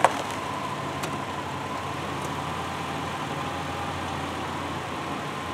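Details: 2002 Subaru Outback L.L.Bean, idling after the exhaust heat shield rattle repair: quiet, steady idle with no rattle or buzz from underneath. The engine sounds smooth and settled.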